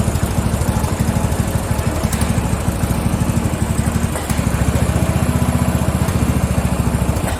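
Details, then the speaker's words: Free Craftsman riding mower (lawn tractor 917.273760), after tightening a loose pulley bolt: small single-cylinder popping unevenly, surging and sagging with a brief dip midway; owner suspects lean running from too little fuel. "I think it's fuel. I don't think it's getting enough fuel. Yeah, I don't think she's getting enough fuel. It just does not seem like enough fuel is running in there."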